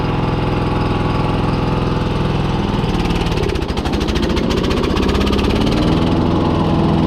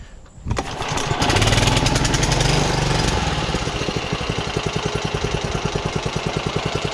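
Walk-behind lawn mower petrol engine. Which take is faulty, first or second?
first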